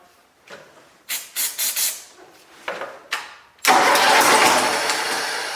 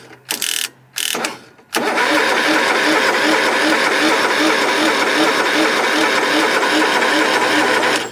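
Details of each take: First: Cub Cadet Super 2082 riding mower engine, sat at least two years, started on its old fuel with starter fluid, air cleaner off, choked; several short cranking bursts then catches and runs steady; starts and runs. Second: Cub Cadet Super 2082 riding mower with swapped engine, sat at least two years: steady starter churning about six seconds, no firing pulse. Cranks but won't start; sounds like no fuel reaching it, unconfirmed.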